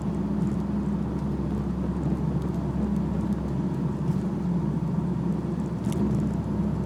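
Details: BMW E46 while driving: steady mid-pitched drone holding over road rumble, attributed to a propeller (long) shaft problem; driveshaft hum.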